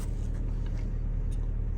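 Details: Car that had a rough idle and starting trouble, after its dirty throttle body was cleaned with carb cleaner. It idles with a steady, even low rumble and no misses, knocks or surging; battery then reads about 14. Normal idle.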